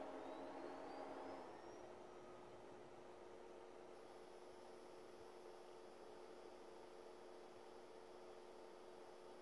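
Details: Brand-new Fengmi 4K projector in a quiet room with no audio playing: a faint steady high coil whine over a low even hum.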